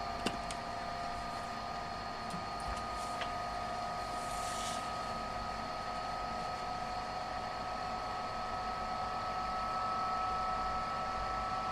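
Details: Tesla V100 GPU running YOLO inference emits a steady high-pitched whine with faint ticks/clicking; noises grow with larger models (none with yolov8s, loud with yolov8x), an abnormal noise under compute load.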